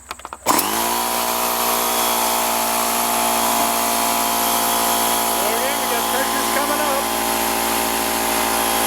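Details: Husky H1503TP small air compressor, after repairing the broken aluminum pump-to-tank tube that had stopped it compressing: the motor kicks on and settles into a steady, even hum of constant pitch with no knocking. Running normally.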